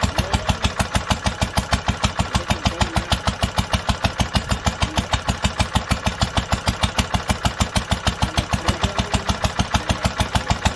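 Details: 1946 International Harvester LBB 3-5 hp water-cooled single-cylinder, first cold start after long storage under cover, choked twice then started; idling with even firing about three times a second, crisp steady beat, no knocks or misses: normal idle.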